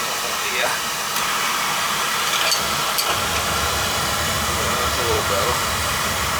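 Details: Beckett oil burner on a no-heat call, outside tank with low oil and suspected moisture: steady even roar with smooth hiss, no pulsing or rumble; flame firing and running normally.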